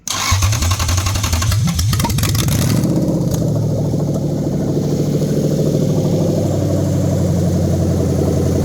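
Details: Lexus 3UZ-FE V8 on new standalone manual-configuration harness for a 2013 Scion FR-S swap, test run after adding fuel: cranks briefly, catches and settles into a steady even idle with no misses or knocks; running healthy.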